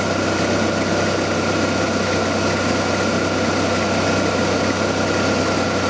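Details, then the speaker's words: 1994 Ford Ranger A/C system being charged with R134a: steady engine drone with no clutch clicking in and out. The A/C compressor clutch now stays engaged because there is enough refrigerant pressure to keep the low-pressure switch made. "15 you notice you don't hear the you don't hear the clutch cycling off and on now so it's got enough pressure inside to keep the uh switch made over down the low pressure side"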